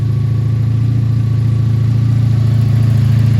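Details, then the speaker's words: First cold start of the season on a 1984 Honda V65 Sabre VF1100S, 1100cc V4: a deep, even V4 burble at a steady beat with no ticks or misses. It idles normally and runs clean. "oh she sounds really good though welcome back old V65 Saber as I said it's 1100 V4"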